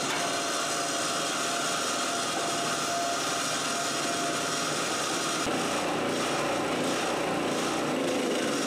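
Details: Old Harbor Freight 3000 W portable generator running on gasoline with fuel valve off to burn off remaining fuel before propane conversion, choke cranked up: steady run under a rough, hissy rasp, no misses or knocks; running normally.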